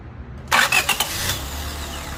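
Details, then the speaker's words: Honda Civic 1.7L that previously had a dragging, random start: after crimping the S terminal snug, brisk short crank with quick whirs, catches within a second and settles to quiet idle; normal cranking and start. "Well guys, it sounds okay to me. It looks like it's a fix. Sounds decent when you start that starter."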